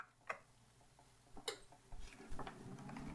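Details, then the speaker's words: NeXTcube powered on after replacing its noisy, likely failing hard drive with a SCSI disk: a few clicks, then a low fan and drive hum settles evenly. Already much quieter, a healthy startup. "- [Ken] It's already much quieter."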